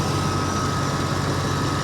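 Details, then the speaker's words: Ford F-350 ambulance at auction, alternator charging at 14.3 V; steady even low idle with no misses, knocks or stumbles, engine runs good. "but she sounds good let's add exhaust she runs good but she's challenged she's challenged"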